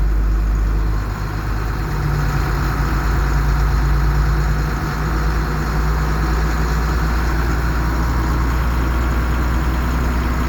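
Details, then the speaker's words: Bus 147 diesel on a freezing morning after cold start: steady, deep idle with even firing and no knocks as it goes into high idle; normal cold warm-up behaviour. "idle I guess this 147's way of signing off for this video"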